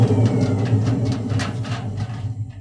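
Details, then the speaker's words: Edesa/Fagor washing machine, drum turned by hand: rough low rumble that fades as it coasts down, from worn drum bearings; during spin the noise is far louder, like a jet plane. "and when the washing machine spins, this noise is multiplied by 100 It is much louder and sounds like a jet plane."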